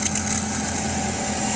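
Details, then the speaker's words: Sparx ES200 skate sharpener (about 2022 build), direct-drive grind spindle motor, cold after vehicle storage (5–8 °C): steady thin hum never builds up, weak as if lost torque, not reaching full RPM; owner suspects cold or motor fault, unconfirmed. "almost sounds like the uh Armature is not hooked up to the [Music] it's like it's lost uh torque or it sounds like it's just not"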